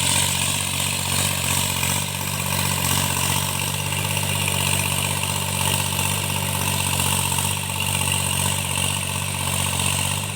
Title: cultivation after I fixed engine knocking tractors&marine MECHANIC